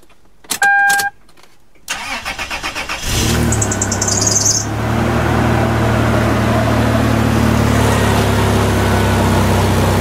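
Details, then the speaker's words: 2000 Toyota 4Runner after fuel pump replacement, with the fuel line leak tightened: short beeps, a few seconds of cranking, then it catches and settles into a steady, smooth idle with no leaks; normal start and idle. "Alright, so it starts up, runs great, no leaks. The job is done."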